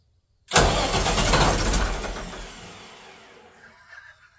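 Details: Katolight 110 kVA diesel genset that wouldn't start in auto or manual, line temporarily hooked up: starter churns about two seconds without catching, then winds down to silence; cranks but no start.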